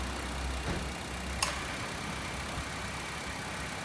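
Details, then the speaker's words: 2017 Honda WR-V at idle after compressor replacement for a loud noise on AC engagement: fan speed 3, recirculation, gas charge stabilizing; soft steady compressor hum, no knocking or grinding, AC runs normally. "a gente liga o carro coloca na velocidade 3 na posição recircular e a gente vai agora estabilizar a carga de gás"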